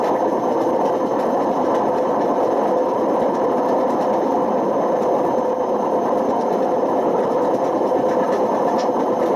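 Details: Washing machine on high spin with badly worn drum bearings: a loud, steady, rough and gritty rumbling roar throughout. The bearing failure damaged the spider and put excessive wear on the motor.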